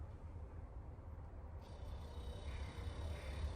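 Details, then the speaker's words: Small 12-volt fridge compressor, just powered up via Wagos after a journey: low steady hum, then a faint even whine after about 1.5 s as it starts and runs smoothly. It works normally. "Ah, it's working. I can hear the compression going."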